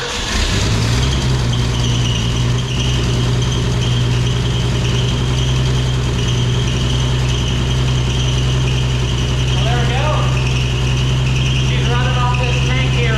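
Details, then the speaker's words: 1965 Ford F100 after sitting 13 years, running on its own fuel pump and carburetor with oil pressure and alternator charging; even idle with a steady high-pitched squeal and chirps over it, source not yet found. "there's a horrible squealing noise but I'm going to look into that in a second see"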